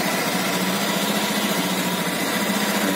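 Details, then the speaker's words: Honda Beat Pop automatic scooter checked as a used buy, after starting high then returning to idle: steady, even hum with no knocks, rattles or squeals; normal idle, no strange noises. "posisi yang bagus suaranya cek suaranya normal tidak ada suara yang asing"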